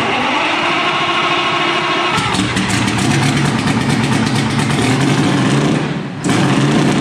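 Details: Detroit Diesel 4-71 first start after rebuild, with new cooling and exhaust hoses, engine mount and oil pressure sender fitted: starter churns, catches at about two seconds into a rough, busy idle with a brief dip near six seconds.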